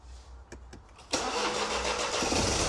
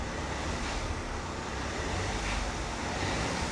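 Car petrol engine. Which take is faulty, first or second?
first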